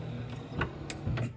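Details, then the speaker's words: C4 Corvette pop-up headlight motor, driver side, just plugged back in while checking wiring, motors and headlight control module: brief low electric hum with light clicks, lamp rises fully with no grinding; normal headlight motor operation. "i have a light driver side is wanting to work that's all the way up no grinding which is great to hear"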